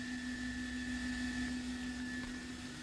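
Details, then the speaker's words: CLG2-V3 75W bi-LED projector headlamp in Suzuki Swift H4 socket, engine off, heard from 1 metre: constant high steady fan whir, moderate level, no rattle or scraping; not too noisy, normal cooling fan. "terlalu berisik ya, masih oke lah menurut saya nih dengan terpasang di headlamp mobil. Suara kipasnya kedengaran seperti ini."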